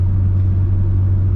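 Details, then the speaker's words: Mitsubishi Evo driving after the front wheel bearings were replaced: a steady low road rumble at speed with no hum or growl from the wheels. The bearing noise is gone, the front bearings sound healthy, and the car now pulls left. "right i am confident in saying that was the noise in the front wheel bearings noise is gone no more"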